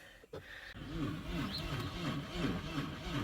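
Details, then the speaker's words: 2002 Audi A4, 188,601 miles, dead battery just partly charged, coolant bone-dry, little fuel: sluggish, uneven cranking at about three turns a second with no firing; battery suspected to need more charge. "you can hear it trying to turn over but the battery needs to charge more so we're gonna let it charge"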